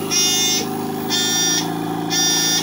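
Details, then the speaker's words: Airsep New Life Intensity 10 oxygen concentrator with 1 hour of use: loud buzzing alarm in half-second bursts about once a second, a high-pressure fault typical of zeolite failure. Owner suspects a damaged sieve component not separating properly; alarm is steadier when flow is set to 2 litres. "sirve pero ya tiene algún tipo de componente dañado el dineral o algo ya no hace bien el proceso de separación entonces por eso marca high"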